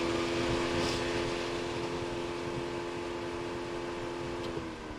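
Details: 2017 Ram ProMaster City Tradesman, scan-tool cooling fan actuation test: steady whirring hum at even pitch, then spinning down as it shuts off; fan runs fine on high, low speed won't work.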